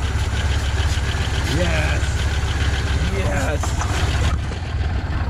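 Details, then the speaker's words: Long-stored Oldsmobile Cutlass Supreme G-body V8 at its first start after a fuel pump replacement, on a jumped battery. The idle is uneven and lumpy, with a shaky, irregular beat that never settles. It runs rough, and the cause has not been found. "I'm not too stoked the motor kind of sounds really rough even though it's just starting to try and turn over and it's been a long time"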